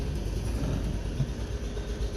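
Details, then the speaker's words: British Isetta bubble car just after brake work, out of gear, idling without choke after a choke start; its single-cylinder gives a low steady thumping putter, even with no misses or knocks, and idles cleanly. "She's running without the choke. That's awesome."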